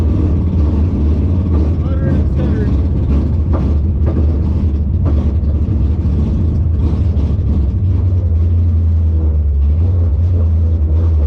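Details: 1957 Chevy delivery V8 with Hilborn mechanical injection, warmed up after valve lash set by feeler gauge: uneven, lumpy, stumbling idle with no clean rhythm; running rough, owner suspects lean, maybe too little fuel needing a pill change.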